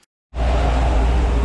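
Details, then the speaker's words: Car left sitting in the garage about 3 weeks: two pumps of the gas pedal and it starts right up, settling into a steady, even low idle with no knocks or misses. A healthy normal idle. "So anyway, I got in it, hit the gas pedal twice, and it started right up and idled. So that's pretty awesome."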